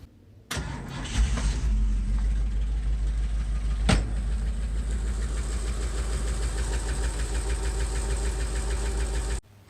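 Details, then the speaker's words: 1968 Ford 429 V8 in a 1961 F100, after timing cover replacement for coolant leak: steady idle with light tick in time with rotation, a too-long bolt through the water pump area striking the fuel pump arm, first suspected as crank bearing or rocker. "so here's what my problem was after thinking it was like a crank bearing or maybe the rocker this fuel pump right here the tip broke off one of the bolts that"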